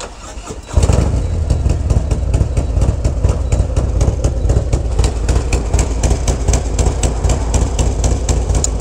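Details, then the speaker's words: Motorcycle that began backfiring on a ride: starts and settles into a lumpy, stumbling, uneven idle, like one cylinder is missing. Rough uneven idle. "yeah it's not an even Idol either so there's something going on"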